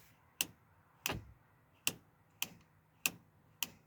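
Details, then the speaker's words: With the engine brake switch turned on, sharp, evenly spaced ticks, about one and a half per second, come from underneath where the engine brake is fitted; the engine brake is engaged and working normally. "पीछे से आवाज़ भी आपको आ रही होगी, नीचे की तरफ से आवाज़ आ रही है, जिधर ये इंजन ब्रेक लगी होती है उसमें टिक टिक की आवाज़ भी आ रही है।"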